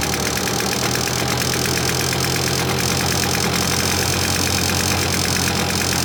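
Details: 1980s Victa two-stroke lawnmower after a new spark plug, plus earlier carburetor needle and fuel cap replacement: bright, buzzy note holding a steady speed with no stumbling or knocking; now starts easily and runs clean.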